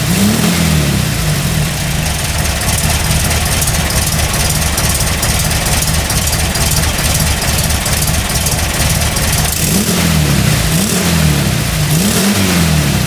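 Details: 1989 VW Kombi Cabrita, air-cooled flat-four, with a newly fitted Puma exhaust after the gaskets were replaced to cure popping from an air leak at the cylinder-head joint. It catches, idles and revs cleanly with an even exhaust note and no popping; the engine is healthy.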